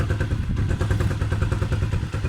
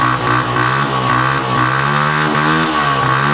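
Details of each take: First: Engine left outdoors in winter rain and snow: idle thumps unevenly, pulses dropping and bunching as if about to stall, then stalls; carburetor starved of fuel by rust or water in the carburetor or a tank-valve filter clogged by rust, water or dirt. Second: Motorcycle that had stuttered and stalled after sitting outdoors in rain and snow, kick-started (battery dead) after cleaning the tank, tank valve filter and carburetor: after some music it settles into an even, steady single-cylinder idle with no misses. Normal idle.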